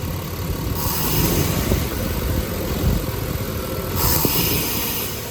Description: The 1992 s10 blazer developed a running problem that occurred only when trying to give it gas off idle. Did some troubleshooting and determined that the Throttle Position Sensor was the culprit.